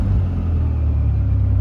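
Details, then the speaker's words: SRT4 petrol engine with 3-inch exhaust and downpipe not yet fitted, after throttle body cleaning, new gasket, intake refitted and a vacuum line resealed: deep steady exhaust rumble settling to an even idle. Revs no longer hang; normal return to idle. "I feel like that's the normal come down. It was hanging just a little more than that."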